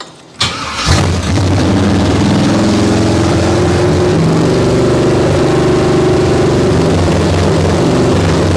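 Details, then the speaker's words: Abandoned 1968 Camaro small-block Chevy V8: cranks, catches, then loose, uneven wandering idle and acts oddly on blips; owner suspects the choke, possibly vacuum leak or timing, unconfirmed. "It's the choke. The choke's messing with stuff because the second you blip it, it does some funny things."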